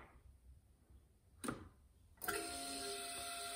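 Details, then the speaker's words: Key-on on a 1999 Harley-Davidson Ultra Classic with a failed ignition switch (no crank, radio and tach dark): a click, then a steady, even electric buzz as the EFI fuel pump primes normally. "so you can hear my engine light went on you can hear that the uh the EFI for the uh fuel pump came on"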